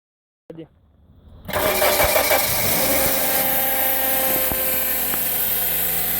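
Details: Suzuki Ignis automatic transmission, cold start: steady buzzing whine over the idle, noise only when cold; fixed by replacing the transmission oil filter and fluid.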